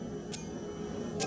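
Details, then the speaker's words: 2015 Yamaha FJ-09 with Rostra universal cruise control fitted: two crisp clicks about a second apart as the brake is applied, the relay added for the LED tail light switching normally. "Okay, you heard that ticking just then. That's a relay that's right down here in this mess that I had to install because of the LED tail light."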